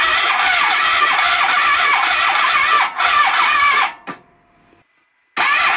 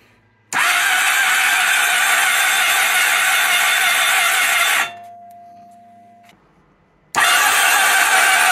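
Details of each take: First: 1997 Honda ST1100 Pan European, long neglected, plugs refitted, spark confirmed, on a jump pack with starting fluid. Uneven cranking at about 2.5 turns a second, then one sharp pop: cranks but won't start, single backfire. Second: 1997 Honda Pan European ST1100 motorcycle, neglected and cranked on a jump pack: two bursts of strong, even high whirring, each a few seconds long, with no firing; the starter spins the engine freely.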